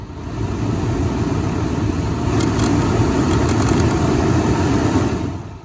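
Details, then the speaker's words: 2010 Dodge Grand Caravan front blower fan motor, removed, running with a busted plastic piece put back in the fan wheel: rough fluttering rumble with uneven rattling reproducing the debris noise. "So imagine that's my whole problem. I'm going to plug it back in, set that piece in there, and see if we can make the same sound."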